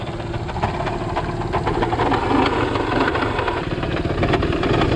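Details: Small single-cylinder postie motorcycle, thicker 20W-50 oil added, ridden around 45–50 km/h: uneven loose clatter over the idle after making nasty noises for a while; riders believe the clutch is burnt out, bike finally died.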